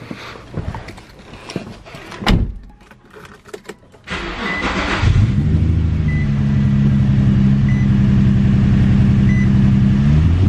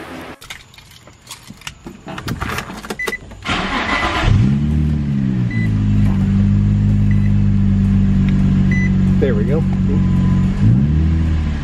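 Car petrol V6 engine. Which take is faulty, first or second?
first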